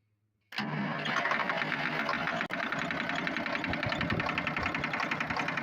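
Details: Volvo TWD121 six-cylinder turbo diesel (stationary) starts and runs with a hard rapping knock, about three to four per second; cause a faulty intake valve, fixed by replacing the valve and gasket set.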